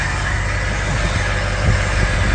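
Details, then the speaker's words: Ford 6.0 Power Stroke V8 diesel idling after #8 fuel injector replacement, quieter than before with earlier miss gone: smooth, even low rumble with a gentle steady pulse from eight cylinders, no miss; normal idle. "Nice and smooth. Oh, it's got a little pulse."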